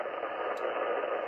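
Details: Constant sizzling hiss and crackle across the 80 m ham band (about 3.5–4 MHz) that comes and goes, wiping out signals; wide RF interference, source unknown, owner checking household devices such as the inverter.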